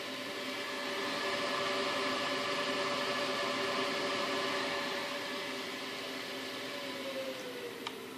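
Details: Radeon 7950 graphics card fan, recorded for a support ticket: steady whirring with a faint tone sliding slightly lower near the end; strange, uneven-sounding fan, cause unclear.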